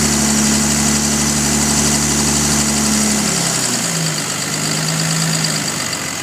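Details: 2005 Dodge Cummins 5.9 diesel idling steadily, with a faint even tick about four a second over the clatter. It is loudest cold and fades somewhat when fully warm. The cause is unknown.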